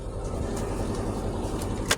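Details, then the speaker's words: 2007 Subaru Legacy 2.5L after rear wheel bearing replacement and tune-up: even steady run, soft low rumble, no knocks, ticks or bearing drone; wheel bearing noise gone. "Hear her running. She sounds good to me. No more wheel bearing noise back there, so we're good."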